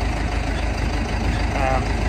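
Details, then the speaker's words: Old Case International 8840 swather diesel idling with an even, steady low rumble, no knocks or misses; runs good and sounds good, probably uses a little oil. "yeah it runs good probably uses a little oil but what old equipment does it sounds good"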